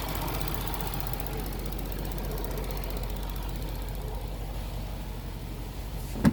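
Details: Range Rover idling steadily with a fast, light ticking on top from a chattering EVAP purge valve.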